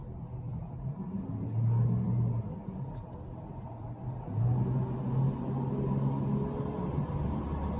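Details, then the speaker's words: Toyota Fortuner gasoline, clogged catalytic converter removed to fix low power, misfire and weak exhaust flow: engine revs up cleanly and pulls freely under throttle, no choking or flat spots; power back, normal acceleration. "Yun, notice na natin itong Toyota Fortuner gas. Tinanggalan natin ng catalytic kasi barado na."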